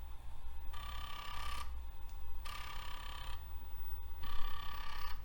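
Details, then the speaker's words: A regular 3.5-inch floppy drive on a TRS-80 Model III, running a test program to move the heads. Repeated second-long buzzing bursts with short pauses, as the heads step back and forth evenly. The drive is working normally, suggesting the original drive is at fault. "Alright, now I'll run the program that's supposed to move the heads. I don't know if you can hear that, but those heads are moving."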